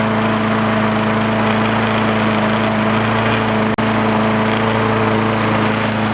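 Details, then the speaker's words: Old green MTD push mower ready for resale, first run outside after fuel tank flush, new quarter-inch fuel line and recoil work, air filter cover on without a new filter, no blade fitted: a steady, even drone with no misses, knocks or surging. It runs beautifully. "this thing runs beautiful"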